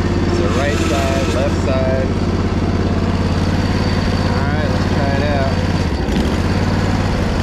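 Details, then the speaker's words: Crusty Poulan Pro zero-turn, tested forward and reverse: a steady, even drone with a faint hydro whine on top. Spindles are very quiet with no bearing noise. Normal running. "spindles are super quiet on here too they have certain fittings on these ones there is no way that you could have paid me to know that this machine would run that well looking at it"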